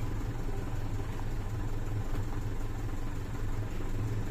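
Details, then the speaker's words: Mitsubishi Fuso 4P10F1 Euro 5 diesel truck, 12 V system, after a no-start fixed by a scan-tool reset clearing the fault codes: low, even idle rumble, steady with no knocks, misses or surging; engine now idling normally. "yan Mga tol okay na yung makina kung nakita niyo Mga tol"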